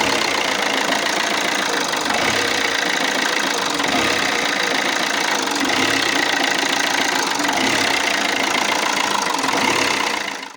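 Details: Alfa Romeo Giulietta 1.6 MultiJet2 diesel; the diesel idles unevenly, its beat wandering and stumbling instead of holding a steady rhythm. Rough idle, with several possible causes not yet pinned down.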